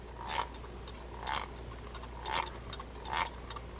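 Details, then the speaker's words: Mitchell 304 spinning reel, grease-choked: rough scraping pulse about once per turn of the handle; gear noise, possibly grease jammed in the gear preventing good contact or a worn gear. "You can hear it. Not sure what's going on in here. It may be that the grease is jammed up in the gear and it's not making good contact because of it, or it may be a worn gear."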